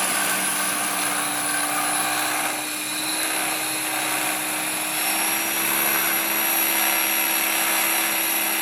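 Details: T-Rex 500 ESP RC helicopter on first hover: steady high rotor whine with a rough buzzing overlay and wavering tone; abnormal vibration somewhere in the head or drivetrain.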